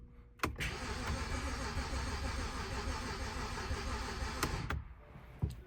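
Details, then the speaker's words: 2010 BMW 328xi Touring manual wagon stored for a year: starter cranks steadily about four seconds with an even chugging but never fires; owner suspects bad old fuel. Crank no start. "sounds like it wants to start but I don't know what should I do should I keep trying or let's go again see like it sounds like it wants to I think it's just the fuel is bad"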